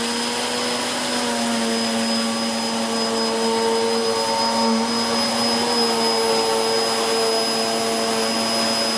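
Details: 2013 Hoover Whirlwind Pet WHS2102 001 2100W bagless upright working carpet, belt refitted for the demo: steady loud whine over a firm mid-pitched hum, even and unwavering. Noisy because the brush roll is aggressive; normal, healthy running.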